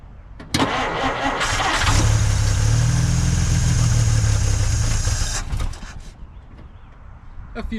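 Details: 1950 Dodge Meadowbrook after swapping to a 6-volt battery: the starter drags the engine over noticeably slower for several seconds before it catches and idles. Afterwards the ammeter reads better, there is a strong fuel smell, and temperature is still low.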